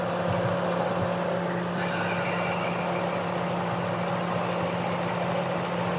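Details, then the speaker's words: Car with missing and jerking returning after every plug cleaning, low coolant: idle with a steady low drone and faintly uneven beat; one cylinder dropping out from a head gasket blown between two cylinders, head later faced and refitted. "पीछे ले आए इधर ले, ये आवाज़ करीब करें, गाड़ी में फायर कर रही है आवाज़। तो इसको चेक करते हैं कि इसके अंदर अभी मसला क्या है।"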